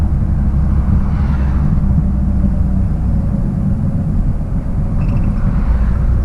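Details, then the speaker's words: 1966 Triumph Spitfire, rebuilt 1147cc engine, driving after fuel system stripped and lines flushed: deep, steady engine rumble holding firm under acceleration over road and wind noise; pulls smoothly and strongly. "put it back together and she pulled nice and strong as as you saw and hopefully heard depending on my editing uh in the driving video"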